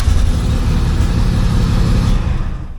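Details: AWD Integra with a D16 engine after an interior wiring harness replacement, started on push button: catches and settles into a loud, steady, even idle with no misses or knocks; running right.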